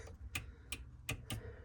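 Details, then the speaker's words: Metro 6R4 Impreza charge cooler pump circuit: four sharp light clicks about a third of a second apart from the switch, but no relay clunk follows; dodgy switch earth means relay not switching and pump not running. "not the relay so something's not right even though it's earth and it's the same thing"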